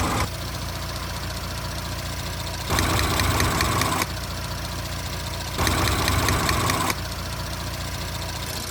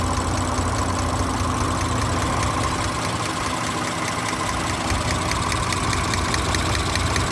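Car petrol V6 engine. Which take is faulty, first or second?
second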